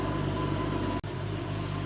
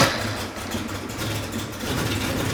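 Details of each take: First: 1987 Porsche 911 Carrera 3.2 flat-six on a test stand, running much better after diagnostics: revs up to 2000 rpm with a steady, deep exhaust drone and a brief dropout, no misses or knocks; O2 sensor switching normally, sounds great. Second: 1987 Porsche 911 Carrera 3.2 on a test stand, first start after years of sitting, fuel rail about 2 bar: uneven, lumpy running with heavy exhaust popping and a raw fuel smell, likely unburnt fuel; traced to a misgapped, damaged flywheel speed sensor.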